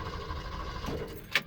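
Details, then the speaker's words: 1974 Ford F100 with a 302 small-block Windsor and T5 swap, roadside after a loud exhaust bang: steady, even cranking with no firing, then a short clatter. Cranks but won't start; no oil leaks or block holes, owner suspects it ran out of fuel and leaned out. "can hear it cranking, not doing nothing. So the really loud bang was pretty concerning."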